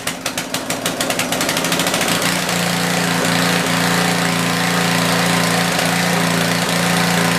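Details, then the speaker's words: Tecumseh generator, believed 4000 W with 8 hp engine, long stored, after new feet were fitted: quick sputtering pulses as it catches, then a steady even drone holding speed; runs well and starts easier now. "Okay, well, there you have it. Runs good, feet are good. It's a whole lot easier to start now."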